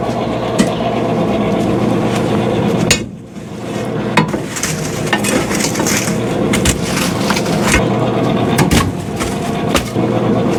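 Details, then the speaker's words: 2017 Central Boiler Classic Edge 550 outdoor wood boiler, original combustion (draft) blower before replacement, still working: fan hum broken by irregular metallic clinks and rattles; it was removed and cleaned a week earlier without curing the noise. "But if you can hear this, it's just not making the right sound. I did pull it off last week and try to clean it, but it didn't seem to do the trick."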